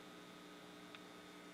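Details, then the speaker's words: RCA Victor R35 radio playing: constant low buzzing hum with steady higher overtones that never changes level. Mains hum; the tone or volume pot was found dead, reading megohms. "Okay, well, I've been playing, and you can hear from the humming that this is not making things entirely happy."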